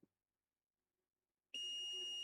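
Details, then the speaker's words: Electronics repair, multimeter continuity test on encoder rail: steady unbroken high beep, reading 2.3 ohms to ground (another point read 216 ohms, which seemed low); dead short to ground, encoder has failed and needs replacing. "2.3 ohms. That side is ground. Yeah, that's ground. We got a short."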